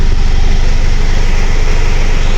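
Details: 2010 Mitsubishi Strada 4D56 diesel before repair, with hard starting, low power and EGR codes U1102/U1101: a deep, uneven throb with a shaking, rough idle. The cause is not yet confirmed.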